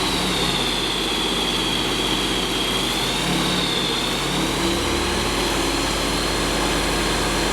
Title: Rotax 912S, first engine start on test bench after engine overhaul.